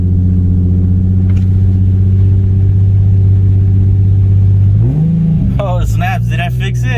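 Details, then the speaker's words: 2008 Nissan 350Z, first start after putting it back together: steady, even idle hum with a smooth rev blip, sounding much better and no longer misfiring. "all right moment of truth I'll tell you what it sounds a lot better"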